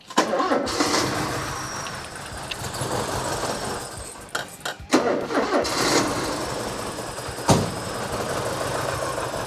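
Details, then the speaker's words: 1984 Porsche 944 during timing belt and water pump job: cranks and catches, then lumpy, off-balance idle under some clatter, sounding like a misfire; owner suspects the reference sensor or the other sensor, unconfirmed; rough running. "Cuz it does sound like a misfire. That's what I was saying. It just sounds like something's out of balance."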